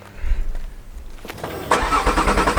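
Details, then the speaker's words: Audi RS3, cold start: brief cranking, then the engine catches with a sharp rev flare and settles into a fast, even cold idle; a normal, healthy cold start. "the noise this RS3 makes on cold start is just fantastic check this"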